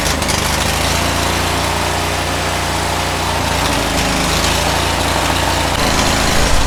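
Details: Cub Cadet 1641 tractor after carburettor cleaning and a blocked fuel line blown clear: loud, uneven, surging small-engine run as it leans out. Owner suspects the fuel pump and says it still runs poorly.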